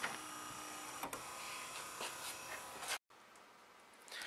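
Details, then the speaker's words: 2008 Toyota FJ Cruiser rear wiper motor, newly fitted genuine Toyota replacement for an old motor that made a terrible noise: quiet, even electric whir that sweeps and stops cleanly with no grinding, clicking or straining; normal operation. "motor, and as you can hear, it's obviously not making that terrible noise. It's super quiet and smooth, which is exactly what I was looking for."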